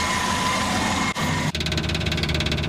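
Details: Mk2 Ford Escort after carb and fuel pressure regulator rebuild, fuel fittings resealed with PTFE tape: even, steady idle with a smooth pulse and no misses or ticks while checked for leaks; no leaks, running cleanly.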